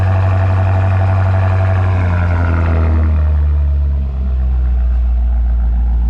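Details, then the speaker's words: BMW F95 X5M after Dinan muffler install, cold start: deep, even exhaust rumble settling from high cold-start revs to a steady lower idle, no knocks or misses; normal cold start idle. "oh yeah sounds nice"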